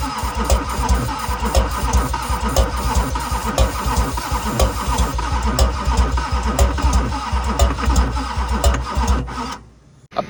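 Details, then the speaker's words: 2001 Duramax LB7 diesel pickup, cranking while sprayed with ether: slow uneven cranking, about one lumpy beat a second, heavy low chugging, never fires; engine to be pulled. "just emptied 3/4 of this can trying to get this thing to start at this point I'm going to say that motor needs to come out and we need to figure out what's going on"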